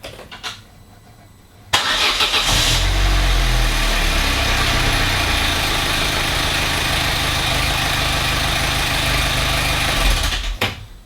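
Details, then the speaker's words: Vauxhall Corsa hot start after fixing the clicking throttle body and no-start fault: catches promptly after a short crank and settles to a smooth, even idle with no clicking; suspected cause was a damp electric accelerator pedal from cabin water ingress. "this is looking like our fix I would say I think it was probably a combination of the water ingress into the cabin the damp environment where the pedal was sat"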